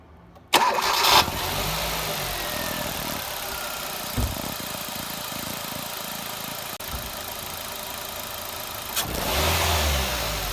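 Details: Hyundai i20 project car with cold air intake (metal airbox removed) and a replaced standard clutch: starter cranks briefly, engine catches and settles into an even idle with clear intake hiss, short rev rise near the end; runs healthy.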